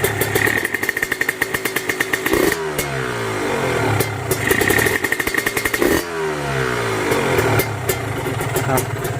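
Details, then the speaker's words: Kawasaki Ninja RR/R two-stroke engine, checked before purchase while being revved: a metallic rattle each time the throttle is released as the revs fall, pointing to a loose connecting rod bearing, upper or lower. "tuh kedengar enggak kayak ada suara saat ngelepas gas ya Treng gitu Tuh itu dari bearing dari bearing di Setang Seher entah yang atas atau entah yang bawah bearingnya yang pasti udah agak oblak"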